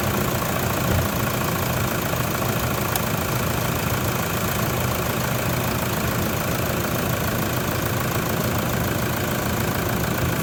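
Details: Toyota Prado diesel idling just after an alternator replacement, with a voltage booster diode fitted since 2014: steady, even clatter with no misses, knocks or whine; charging at 14.52 V and rising, runs normally.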